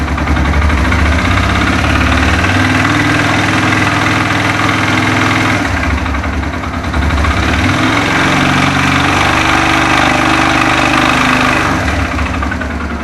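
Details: Suzuki Thunder 125 motorcycle, owned over 11 years, single-cylinder idling with an uneven rough rattle under the exhaust beat, about three knocks a second; abnormal internal engine noise, engine teardown planned after consulting mechanics.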